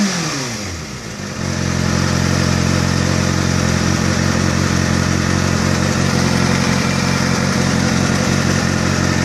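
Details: Kawasaki ZX-6R, fully warmed up, at a steady idle: light, fairly regular tick of about three per second. The cause of the ticking noise is not yet known.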